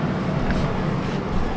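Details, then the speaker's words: RV blower fan after reconnecting motor; corroded fuse and fuse holder found as the cause of no power: steady even whoosh with low constant hum, no ticking or rubbing; fan working normally. "and the Fan's working now as you should be able to hear works just like it should"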